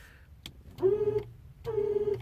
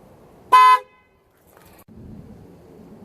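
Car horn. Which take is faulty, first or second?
first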